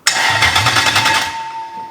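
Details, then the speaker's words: BMW E30 with swapped V8, first crank attempt: fast, even starter chatter for about a second, never firing; fuel pumps not yet set up, so cranking with no fuel supply, starter power fine, owner suspects a dash signal issue. "It's cranking. It's got to be signal related. I think what we've got to do is we've got to finish setting up the fuel pumps."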